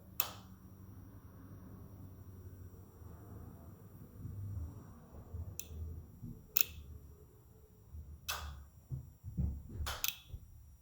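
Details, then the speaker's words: 2005 Yamaha R6 that won't start after sitting three months despite new battery and plugs, code 19 (kickstand) shown: key on, irregular sharp single clicks with no cranking when the kill switch is pressed; owner suspects the fuel relay. "But the sound that I don't like is right here. As you can see, whenever I hit my kill switch button, I'm not sure if this is the fuel relay right here."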